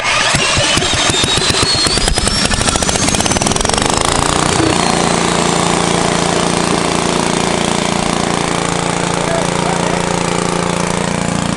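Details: 1970s Briggs & Stratton generator built for Princess Auto, started on choke: catches after a few rough pulses, then settles into a steady, even drone with no misses; running properly.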